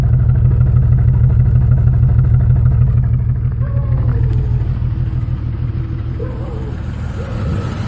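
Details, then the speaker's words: 1996 Jeep Grand Cherokee Laredo straight six heard at the tailpipe: heavy, lopsided puffing about three times a second, exhaust sounding very rich, engine shaking; all cylinders misfiring at idle, cause unknown. "I don't know if you can see in the video helped fast as engine is shaking right back here the exhaust so you can hear it really rich"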